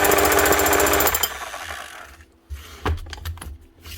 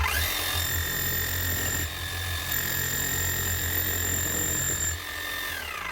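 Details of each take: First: 2006 Makita HM0860C 5 kg hammer-only chipping hammer, badly burnt-out shorted armature, also leaking oil; rapid steady hammering for about a second, then winds down, smoking; still hammers, but weakly. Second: 2006 Makita HM0860C 5 kg chipping hammer after burnt-out motor replaced and gearbox fully rebuilt with new seals, O-rings and grease: steady motor whine with even hammering buzz, winding down then clunk as set down; hammers properly.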